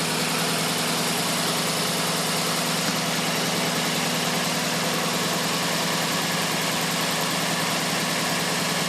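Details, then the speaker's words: 1992 Lexus SC400 V8 idling with mass airflow sensor unplugged; uneven, lumpy idle pulsing a little over once a second, about to stall once the sensor is plugged in. Owner unsure whether MAF sensor is faulty. "this is my 1992 Lexus SC400 and my ass my mass airflow sensor is unplugged right now as soon as I plug it in it's gonna die"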